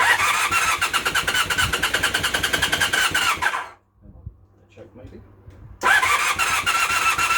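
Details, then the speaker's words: Temporary twin engine in a project motorcycle, first startup with the rear silencer connected: rough, uneven running with a sharp puffing tick on each firing pulse, cutting out and restarting; exhaust leak at the header, plus vibration. "okay running but not well definitely got an exhaust leak from here here that exhaust"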